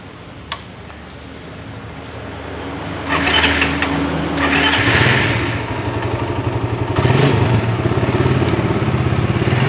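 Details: Suzuki Satria FU 150 single after engine teardown and rebuild; fires up after a few seconds, then even steady beat with light blips, smooth and healthy.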